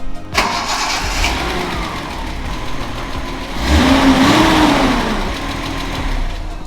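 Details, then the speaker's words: Datsun 280ZX L28E straight-six, hot, before valve adjustment: fires up and idles with a quick, fairly regular tick-tock over the hum at about three or four per second; valve lash needs adjusting. "symptoms that your bulbs lashes needs adjusting is your car kind of sounds like the crocodile from hook you know what i mean tick tock tick tock tick tock"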